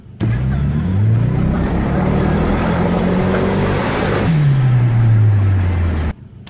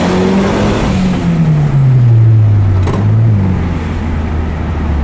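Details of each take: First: Turbo car before spark plug replacement: engine revs above 3000 rpm and the note turns rough and sputtering, a high-rpm misfire from missing spark, first mistaken for fuel filter; cured by properly gapped new plugs. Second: Turbocharged car after replacing and properly gapping spark plugs, previously sputtering from misfire at 3000 rpm and above: smooth, even rev climb with continuous turbo whistle, no stumble, much faster. Normal acceleration.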